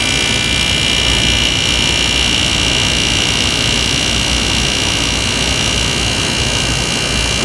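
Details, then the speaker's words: Hampton Bay HBQ051A-N 5,100 BTU air conditioner, first run after coil cleaning, fan on high, 70°F ambient; harsh hissing roar with thin high whine at compressor startup, still sounding bad. Cause unknown; condenser works with subcooling. "Still doesn't sound too good. I'm a little bit surprised it doesn't sound any better."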